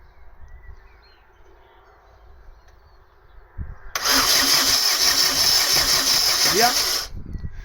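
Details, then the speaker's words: Mk3 Astra 1.6 LS saloon, unmoved since 2009, ignition switch thought faulty: spark plug shows good spark, yet the starter spins steadily about three seconds without catching; owner suspects fuel supply, air drawn into the fuel lines. "yeah we've got a good spark so probably fuel it's probably got um drawn air through the fuel lines"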